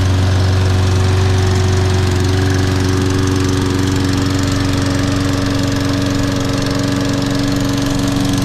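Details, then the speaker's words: Toro Recycler 22-in model 20332 rope-start mower, 190cc engine with auto choke, on a January cold start after probably about 3 months unused; it started better than the electric-start one. Steady, even single-cylinder putter with a deep drone and no misses or knocks: normal running. "That sounds good. That's a beast. That started better than the electric start one."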